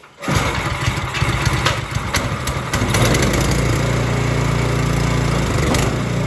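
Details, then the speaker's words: Snow Tech snowblower made by Ariens, Briggs & Stratton clone engine, first start after carburetor cleaning and reinstall, on choke. Catches after a few rough coughs, then settles into steady, even putter; normal start and idle, though owner wishes for more power adjustment. "The snowblower is up and running. That worked good."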